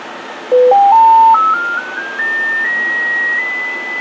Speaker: Okay, now here we are. 1K tone, let's drop it down. Can you see the noise now? It's riding on the signal.